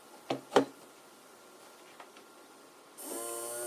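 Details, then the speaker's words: DIY plant watering system small pump motor, USB powered, timer set so the motor turns on every second: faint clicks then steady, even hum, starting cleanly; normal pump cycling. "and when I turn it on you can hear the motor turning on every second"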